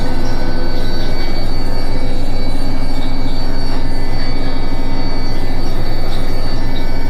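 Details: Indesit washing machine in its final spin: a loud, steady squeal holds pitch over the deep drum rumble. Something is rubbing or dry, cause unclear.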